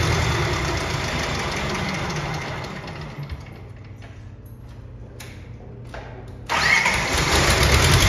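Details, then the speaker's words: Bobcat 543 with 2-cylinder Isuzu 2AA1 diesel, hard cold start, restarted slightly warm on a fresh bigger battery; runs, cuts out, then seconds of slow labored cranking before catching and idling, kind of a hard start, compression test planned. "that seems to start good what do you guys think we have a problem here it's kind of a hard start"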